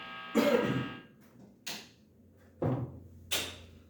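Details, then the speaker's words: Electric guitar near LED lamps, microphone in front of the amplifier at high volume: buzzy hum swells and fades as the guitar moves, the pickups catching the lamps' electrical noise purely by induction. "Ele vai captar e vai amplificar esse ruído elétrico aqui. Ele tá só, entre aspas, só por indução."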